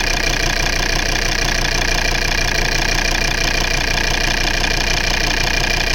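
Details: Volvo V70 2.4D P3 at idle: rough, lumpy shaking beat about three times a second, a cylinder misfire. Wiggling the injector wiring loom changed it, and no injector fault codes were found.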